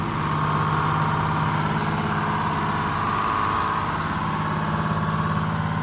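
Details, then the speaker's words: Detroit Diesel 6-71 in a 70-year-old 4104 bus, first run before injector replacement: loud two-stroke clatter with speed drifting up and down, won't hold idle or return to idle because injectors were sticking and binding. "It didn't want to hold idle. It had some injectors that were sticking. They didn't want to move freely."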